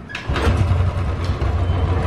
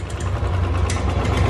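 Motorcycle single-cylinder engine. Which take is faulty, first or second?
second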